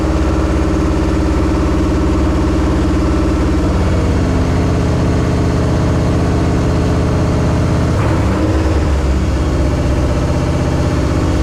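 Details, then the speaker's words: 1968 AMC Rambler American 401 V8, first start after a rebuild and ten years sitting, on break-in: deep steady rumble, even beat, a brief blip, no knocking or ticking. Running fine but needs tuning; it got hot. "It's not doing too bad. We got a lot of tuning to do, but that's a good start. Man, it's good to hear that thing run."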